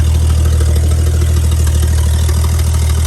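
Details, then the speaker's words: 1955 Chevy V8 idling after starter and fuel work, now drawing fuel from the tank through the filter instead of a fuel can, shut off soon to avoid overheating; steady, even low rumble with no misses or knocks; normal idle. "All right, before it overheats, you can see it pulling from the filter down there. Running off the tank now. At least I got a little bit of a win."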